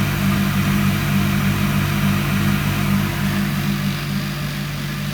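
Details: Indesit ISDP 429 Autopump spin dryer, made by Hajdu in Hungary: steady motor hum with a soft, even pulse about three times a second as the drum spins, smooth and without scraping; normal spin.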